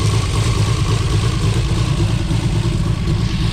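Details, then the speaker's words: Built 2JZ-GTE in a 1995 Toyota Supra with a lumpy, uneven idle and a loping stumble about twice a second. One cylinder is dead, traced to an unplugged injector. Oil was just changed, and oil pressure reads 40 psi after 100 at startup. A compression test is planned. "I did just change the oil and filter in it, but that might not be for anything good, because if we got a dead cylinder, then we're gonna be digging into some real serious problems here."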